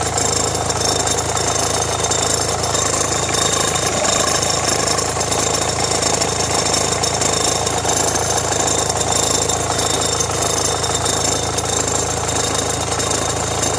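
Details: Renault Megane 1.5 dCi idling as electrical load rises (radio, rear window heater, blower): dry, uneven metallic rattle at the front accessory drive; belt and tensioner already replaced, owner suspects alternator or AC compressor.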